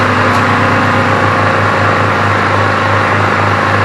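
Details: Briggs & Stratton vertical-shaft generator salvaged from the tip, powering an 850 W drill and roughly 200 W floodlight: loud, steady drone with even low throb, never hunts or stumbles; carries the electrical load cleanly.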